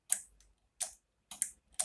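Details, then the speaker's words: Moped (50cc) with ignition on and starter pressed: sharp dry relay clicks, about two a second, from the starter relay behind, power reaching it but the starter doesn't turn and the engine doesn't start. "cliquetis ça c'est des deux rôles et servir que le jus face mais ta moto ne démarre pas"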